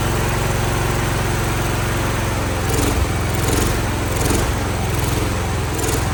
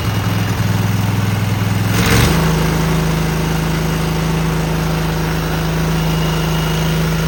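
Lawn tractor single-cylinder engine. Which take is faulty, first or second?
first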